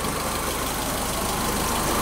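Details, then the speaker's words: Mitsubishi Lancer after maintenance, heater on, water temporarily in place of coolant. Steady, smooth idle with an even low pulse and no knocks or rattles. Clutch had been slipping badly before the test drive. "all righty we have her on it's apparent like a kitty"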